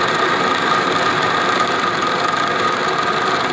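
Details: DN100 (4") orifice plate on a flow test rig: steady loud hiss with fine crackle and a faint high tone, flow cavitating through the orifice.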